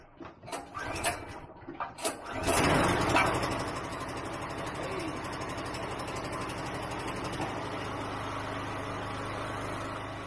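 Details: RYOBI 2500W generator, with fuel left in it, started after about 12 months of storage: a few pull-cord tugs, then it catches and settles into an even, steady running hum with no stumbling.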